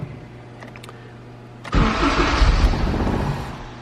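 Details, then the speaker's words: Turbo K24 Civic EP3 (built A4 bottom end) with the customer's faulty, low-flowing injectors: brief crank, rough catch, then it sags and dies within two seconds, fuel-starved and unable to stay idling. "starts dies starts dies it's kinda idling really idling low and then it comes up running okay"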